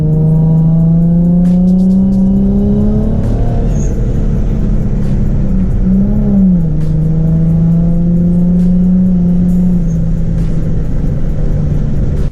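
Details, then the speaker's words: Rear-mount turbo G35, about 5 psi on stock wastegate spring: loud engine note climbs through the pulls, dipping briefly between gears, no flutter; healthy boost, though the owner suspects an oversized wastegate lets it overboost in 4th and 5th. "The couplers then pop off and the car sounds amazing, so sounds like a win-win, and sounds like the G is back."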